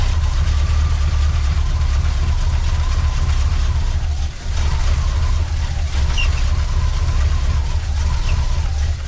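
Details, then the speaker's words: 1979 Chevrolet C10 V8 that sat for five years, first start: steady, deep idle with no knocks or rattles and a faint, wavering squeak, possibly from a belt-driven accessory; power steering fluid is mentioned. Normal running with a slight squeak. "That sounds good. There's no bad noises. Yeah. A little squeaky here and there, but it may be from..."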